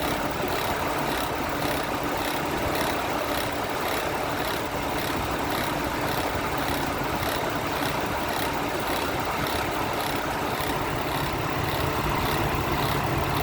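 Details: 2006 Chevy Trailblazer, engine running: fast, even, rhythmic chirping scrape about two or three a second from the alternator. The alternator pulley has failed mechanically, and the noise is traced to the bad alternator.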